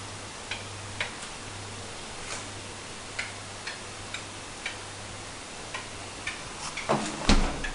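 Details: AEG Santo refrigerator: sharp, dry clicks repeat about twice a second over a quiet low hum. The cause is unknown.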